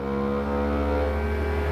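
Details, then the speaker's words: Anycubic Kobra S1 Combo 3D printer after firmware update: loud steady buzzing hum with several clean tones during input shaping resonance check; normal calibration vibration. "While it's doing its input shaping and etc., it will make some noises. That is normal. Don't be alarmed. You'll hear some vibration noises like this."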